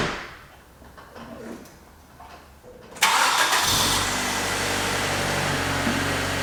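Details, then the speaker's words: One-owner 1995 Infiniti G20t, cold start after sitting over 48 hours: quiet, a quick crank, then it catches and settles into a steady even idle with no surge, ticking or odd noises; normal cold start and idle. "Also, there are no surge, no idle surge issues, nothing weird like that. You'll hear there's no noises or weird noises, just the sound of good natural combustion."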